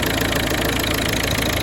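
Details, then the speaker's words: 2011 Citroen C3 1.4 HDi diesel after fuel filter change and bleeding, running about 5 minutes: even idle clatter with steady beat, no misses or hunting; smooth normal idle, no leaks. "All seems very dry, smooth running. That's a successful job."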